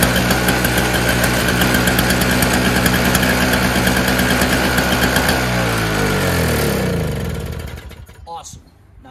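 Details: Old Craftsman 5 hp two-stroke single-stage snowblower, started choked without priming, ran the day before: fires straight away and buzzes at an even, steady pace before shutting down; healthy start and run.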